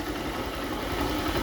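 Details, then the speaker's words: Honda CG Start motorcycle brought in for an engine noise, just started: small single-cylinder idling with a rough, rattly knock running steadily through it. "Vou ligar aqui. Um, ó, dei partida e a mesma começou fazer o barulho, tá?"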